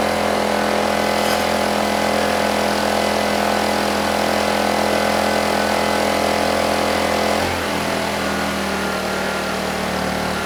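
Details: Honeywell HW2000i 2000 W inverter generator, hard-starting but running well: steady even drone under a 1500 W load, settling smoothly to a lower note without surging; frequency and voltage rock solid.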